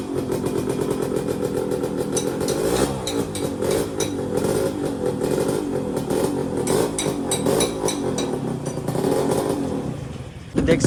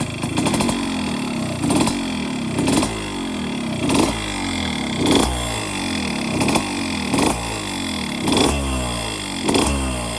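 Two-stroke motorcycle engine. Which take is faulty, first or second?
second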